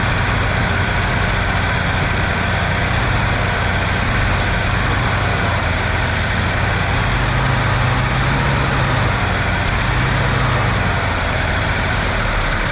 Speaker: I think we need to turn a up just a hair oh it sounds sounds pretty level pretty consistent yeah